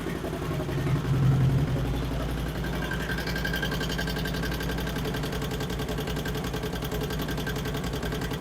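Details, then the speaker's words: 2008 Harley-Davidson Street Glide twin cam V-twin after Screamin' Eagle 255 cam install, first startup: light quick ticking over a steady idle from the top end; pushrods adjusted per instructions, owner suspects a lifter; valve train tick. "As you can probably hear, we've got a tick in the motor up here for some reason. I don't know what, trying to think of what could have went wrong or what's could be causing that."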